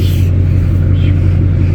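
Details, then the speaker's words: Fresh engine running outdoors at about 20 degrees, having come out under its own power: deep steady V8 rumble with even low beat, no tapping or knocking; sounds really good. "but it's running and it come out of its own power so that's something and it sounds good it sounds really good"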